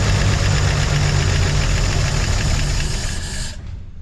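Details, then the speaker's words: 1953/1954 Chevy 6400 grain truck off a farm, first crank attempt: starter churns steadily at about four beats a second with no firing, then stops; no fuel, fuel pump not pumping, likely why it was parked. "now this is probably why this truck was parked yeah so it ain't pumping though huh not at all"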